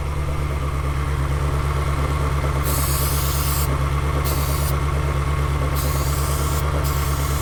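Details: Salvage-auction Ferrari, warm V8 idling with a lumpy, pulsing misfire while starting fluid is sprayed around the intake manifold gaskets; the idle does not change, so no vacuum leak is found there.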